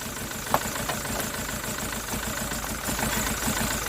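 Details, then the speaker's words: SsangYong Musso diesel, first start after engine rebuild, exhaust not yet tightened, fuel still airing: uneven lumpy idle with irregular stumble and exhaust chuff; misfire on cylinder two from faulty number two injector, later replaced. "it was number two injector that was knackered and I had one in my toolbox so I'll put that in there and it's running nice so that's what I added I had misfied detection on cylinder two"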